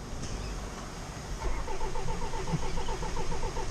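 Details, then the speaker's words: Salvaged 2017 Land Rover Discovery Sport diesel that sat a long time, cranked without starting to prime oil pressure before bleeding injectors for an air leak; even starter churn, never fires. "I was just thinking it's probably good to let the motor tick over, crank, crank, crank, crank, crank without starting. The reason for that is it primes up the system of oil,"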